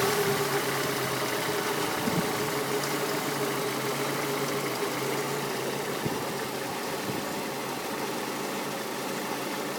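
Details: Peugeot 206 GTi 2.0 petrol running with an uneven, stumbling beat and irregular thumps from a misfire; fixed with a new coil pack and set of spark plugs.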